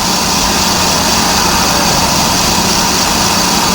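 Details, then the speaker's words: Trailer electric brake drum on a lathe, cutting original metal: steady, even hiss with no chatter or rhythmic catch, showing the drum turning true. "see that that's a beautiful sound see that's your original meat right there so I know it's turning true because you can hear it you can hear it going nice and"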